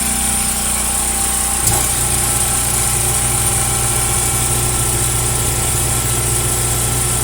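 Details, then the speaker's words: Top-load washing machine with grinding complaint, tested in agitate: a click, then steady unloaded motor hum that never changes pitch or pulls down; motor freewheeling because the motor coupling is broken; transmission looks fine. "all right i know what's wrong the coupling is broke she needs a new coupling"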